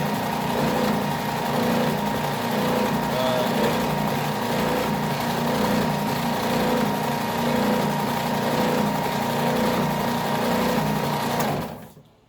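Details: New Ridgid oscillating belt/spindle sander, first run out of the box while the owner adjusts the belt tracking knob: steady, even motor hum, smooth belt run, no rubbing or knocking until wind-down; normal running.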